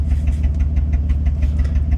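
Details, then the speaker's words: 2004 Honda Pilot at idle after clearing SRS and VTM4 codes, O2 sensor code remaining: uneven, lumpy idle with sharper puffs every few beats, sounds like a misfire; suspected plugs and coils, unconfirmed. "The SRS code cleared, the VTM4 cleared, so the only thing I've got now is the engine, and that's for the O2 sensor, and it sounds like it's got a misfire. So that is probably going to be plugs and coils, which is not a big deal."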